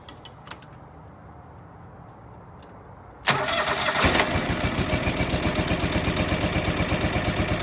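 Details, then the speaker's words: John Deere 445 twin running on one cylinder with the other plug lead pulled: slow lumpy chug at lower rpm, plainly weak, unlike the strong-running other cylinder. This cylinder's bad spark plug is the problem. "this one doesn't seem like it's working as well so this is definitely our problem but as you can tell it wasn't running as well on that cylinder it was running at lower rpm and it just didn't sound as good"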